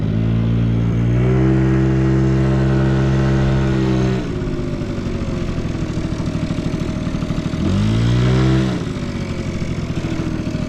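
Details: Vintage Honda Squash (AB11-1064) 12V moped with electric starter, running test: small single ticks over smoothly at idle, revs up cleanly and settles back, no knocks or rattles; no abnormal engine noise, healthy.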